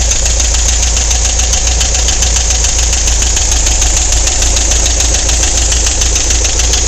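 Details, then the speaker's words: Volkswagen at idle, noise louder than usual on morning drive: loose, uneven clacking about three per second from one corner of the engine; suspected lifter or valve clack, not confirmed. "there's a clack down in this corner and I got to figure out what it is"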